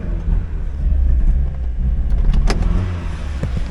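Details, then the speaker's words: 2002 Mazda Miata 1.8L, 6-speed, 200,000 miles, revving while tach watched: engine surges unevenly and stumbles, won't rev; misfire, owner suspects a dead cylinder, not confirmed. "You can watch the tack. See it just right there, it won't rev. Now she won't rev at all."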